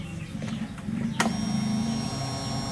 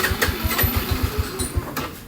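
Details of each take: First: Honda Revo fuel-injected motorcycle after fuel pump replacement, idle pressure 40 psi, close-up priming test: a click, then a steady, smooth, louder electric hum for about two seconds, then it stops. Normal fuel pump priming. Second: Honda Revo fuel-injected motorcycle stalling every five minutes, no fuel pump hum at priming: starter churns about eight even pulses a second, hard to start; fuel pressure stays at zero then delays to 40, fuel pump failing.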